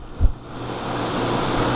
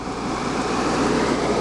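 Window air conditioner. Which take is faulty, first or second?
second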